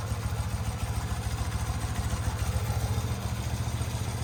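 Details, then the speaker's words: Motorcycle (twin) running for the first time after sitting 20+ years, right after carb vacuum balancing and a rev to 3,000–4,000 rpm; smoking a little. Steady, even exhaust pulses at settled idle, no misses or clatter — normal idle. "She's a runner. She's running really good."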